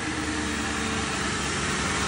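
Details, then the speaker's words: 2001 Mercury Grand Marquis 4.6 2V V8 after replacing serpentine belt, idler pulley and worn-bearing wobbling tensioner pulley: steady even idle with no squeak, chirp or bouncing pulley. "there you go guys no squeak no bouncing pulley everything looks good"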